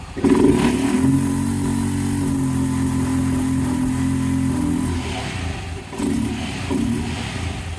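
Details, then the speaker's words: 2023 Honda Pioneer 700 at 995 miles, air cleaner off, seat and plastics removed: idles normally, then on throttle the pitch climbs, flattens and holds, reaching only a hair above 4,000 rpm instead of the roughly 7,000 rpm redline; bad camshaft. "You should go up to red line, which is about 7,000 RPMs. It'll only go up a hair above 4,000 RPMs."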